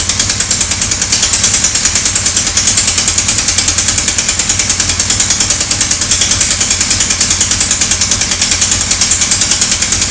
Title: Sonderbare Motorgeräusche.AVI